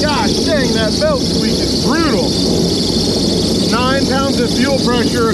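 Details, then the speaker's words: Diamondback airboat engine at idle, with 55 psi oil pressure: sharp rising-and-falling squeaky chirps over the steady drone from a serpentine belt misaligned because the alternator is mounted crooked and pulled forward. "so that serpentine belt is misaligned and it squeaks like a mug if you had a v-belt you could probably get away with a little bit of that and it wouldn't squeak so much"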